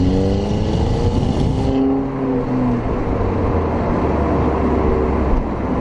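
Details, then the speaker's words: 2009 VW Golf Mk6 1.4 TSI turbo petrol, stock exhaust, DSG dual-clutch, driven hard in Drive: revs climb hard to about 4000 rpm, quick drop with short exhaust burble at the upshift, then pulls again; normal. "so when you hit about 4000 when it grabs when it changes gear that's when you're gonna hear the dsg uh thoughts"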